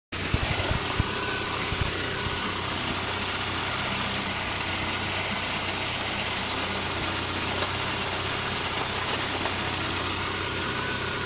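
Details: MG MGF petrol engine idling steadily with a knocking noise running through the idle.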